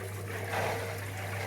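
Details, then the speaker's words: Vaillant Ecotec Pro 28 combi boiler after repressurising expansion vessel and system, in P0 purge mode: pump only, no burner firing, steady low hum with trickling water while clearing air; normal. "P0 is purge mode. It's going to run the boiler just using the pump. It's not going to fire up. It's going to get rid of any air."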